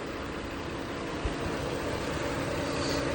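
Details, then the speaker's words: Infiniti G37 VQ37VHR after alternator and serpentine belt replacement, jump-started on a new battery the dead alternator had drained, idling 5 to 10 minutes: steady, even idle with no stumble or hunting, not choking out; healthy. "But it's been idling now for around 5 to 10 minutes, and it doesn't seem like it's choking out"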